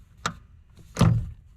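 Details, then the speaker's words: Honda S2000 brake pedal pressed, heard from under the dash at the master cylinder: two dull clicks as the pedal first moves, felt through the foot, with the pushrod moving slightly; cause not confirmed. "It has a click in the pedal."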